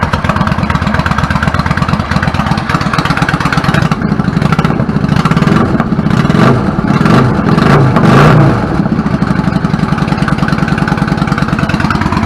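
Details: 1999 Yamaha V-Star 650 Classic, 650cc carbureted V-twin, stock, 16K miles, started on choke after cleaning clogged pilot jets from sitting unused: fires steadily with an even low thump and a brief rev blip, then settles into healthy running.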